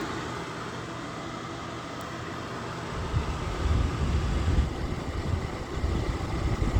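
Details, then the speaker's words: Lasko electric fan heater on high (1500 W; low is 750 W), camera near bottom outlet by heating coils blowing hot air; even blower whoosh with low steady hum swelling after a few seconds: normal operation. "So it's almost the stupidest thing to do, but that works really good. It blows the heat out."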